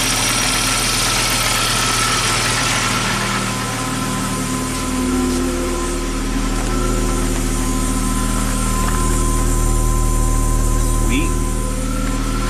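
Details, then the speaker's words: Abandoned Audi turbo, cold engine reluctant to rev: even idle with a thin steady whine above the engine note, a noisy fuel pump, though the engine is running. "fuel pump is noisy but it's running so pretty neat"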